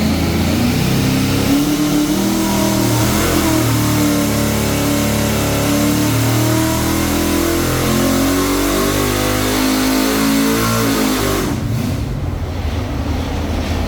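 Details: 454 Blueprint small block Chevy crate engine on engine dyno, full-throttle pull: V8 pitch climbs smoothly for about ten seconds then drops off, making 606 hp and about 560 ft-lb; normal full-throttle pull.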